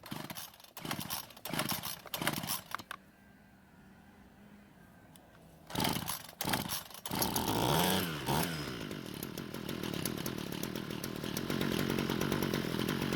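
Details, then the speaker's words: Ryobi two-stroke string trimmer, given away and long unused, idles in choppy bursts, won't take throttle and stalls the moment the trigger is touched, then restarts raggedly; lean low-speed circuit, fix is turning L screw counterclockwise and raising idle speed. "As you just saw, the moment I touched the trigger, the engine stopped. This typically means it's not getting enough fuel to change speed."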